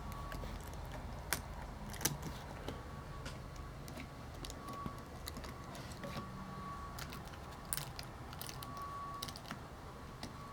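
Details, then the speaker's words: Old Windows 7 laptop keyboard: sharp, uneven, rattly key clicks over a quiet hum, crisper than normal keys; debris trapped under the keycaps makes them sticky and clicky. "these keys have junk under them that makes them clicky to this one perfectly fine"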